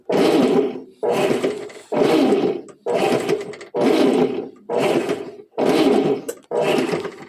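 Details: Washing machine after its ratchet and spring were replaced, pressure hose blown to simulate a full tub: steady motor strokes roughly once a second, each a full even whir, normal agitation after the repair.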